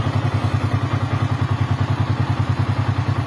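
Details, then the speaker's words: Yamaha Vixion charging about 13 V: even, regular low putter at idle with no ticking or rattle; single runs smoothly, normal idle. "sekarang udah mantap nih Nah 13 kita blayar nah udah mantap teman-teman"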